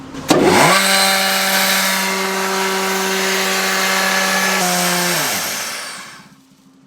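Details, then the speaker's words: Grain bin blower started to test for a plugged discharge pipe; spins up to a loud steady hum, then pitch sags and winds down to a stop after five seconds. Blower stalling from plugged pipe. "when it died, that was the sign that it didn't work."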